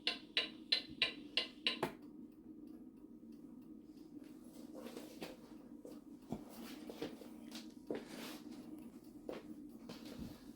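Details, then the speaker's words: Antique pendulum mantel clock heard close up on the movement: crisp ticks evenly spaced, tick and tock evenly matched with no limp in the rhythm; properly in beat, as it should sound. "Okay, so that is the clock perfectly in beat. That's what it should sound like when it's in perfect beat. Even tick tock, tick tock. It's even."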